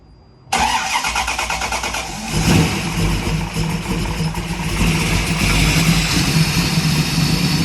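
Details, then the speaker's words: 1965 Mustang after fixing overheating with new cooling fans and shroud: engine fires and settles into a steady idle with a strong, smooth rush of fan airflow, no rattle or labouring; fans now cycle off, normal cooling. "So let's fire it up, and I want to show how aggressive these fans are and how well and you can see the airflow. Okay. Well, not see it, but hear the airflow."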